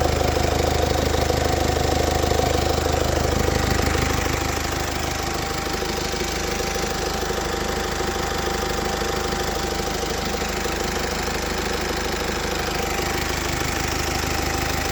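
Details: Mercedes OM654.916 diesel idling: steady regular clatter about two and a half beats per second, owner unsure if normal; engine knocking noise, cause unknown.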